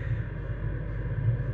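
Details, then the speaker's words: Rebuilt truck diesel bunk heater after auto-restart test (thermostat off then back up): low steady rumble with soft even pulse, no sputter or surging, much healthier than before the cleaning and new parts. "It sounds so much healthier than it did before too. I hope it stays like this."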